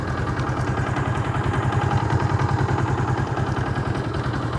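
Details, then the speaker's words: Yamaha Jupiter MX 135 with V-Ixion engine after a major overhaul; steady putter at a deliberately raised idle for stability, no misses or knocks, though some top-end knocking was noted. "itu stasionernya agak Tinggi biar enggak Oh mau mati gitu mesinnya saya apa ya biar lebih stabil lebih enak didengar juga"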